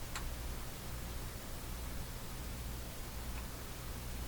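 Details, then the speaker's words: Hallicrafters SX-122 receiver on a band other than broadcast: only a very quiet, even hiss with a low hum from the speaker and no station; signal meter dropping, no signal getting through. "so I can hear a a hiss coming out of the speaker there very very quiet"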